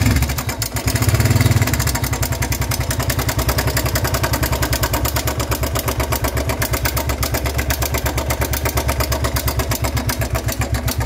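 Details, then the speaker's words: Single-cylinder motorcycle idling with a loud, fast metallic clatter over the exhaust beat, started faintly a week earlier then suddenly got loud; suspected tappets or timing chain; slack timing chain from failed tensioner, tensioner replaced. "y pues ese es el sonido que está haciendo ya anteriormente ya sea ese ruido pero empezó poco a poco esto tiene apenas hace como una semana que empezó con ese sonido pero era más leve"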